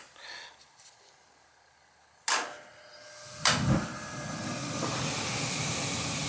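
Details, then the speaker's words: Old cast iron gas boiler with a no-heat complaint, after reopening an extra gas shutoff someone had closed by the meter and purging air from the line: sharp clicks, then a soft whoomp and a steady, even burner hiss. Ignition is clean. "houston we have ignition so somebody shut somebody shut the gas off"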